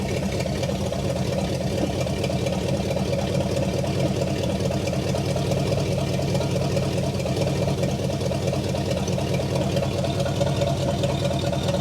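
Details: 1960 Pontiac Catalina 389 V8, first run after sitting since 1985, fed from a boat tank: smooth, even idle holding a steady low rumble, no misses or knocks; running well, no fuel leaks.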